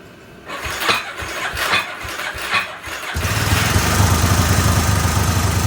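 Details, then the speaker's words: 1999 Yamaha Warrior 350 ATV after head gasket and one-way starter gear work, Chinese carb, started by jumping the solenoid, valves unchecked; loose clanks during cranking, then an uneven knocking idle; clanking suspected from the top end. "fired up pretty quick, but something's clanking around pretty good in there."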